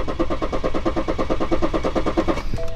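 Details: BMW F11 530d N57D30 diesel: cranks with even starter rhythm but never fires; low-pressure pre-supply fuel pressure near zero, rail pressure too low on start (P016D).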